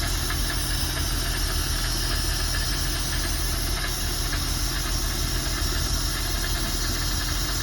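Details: Mercruiser 4.3 V6 marine engine converted from Thunderbolt to Delco EST distributor, base timing set at one degree before TDC: steady, even idle with a smooth rhythmic run and no knocks or misses.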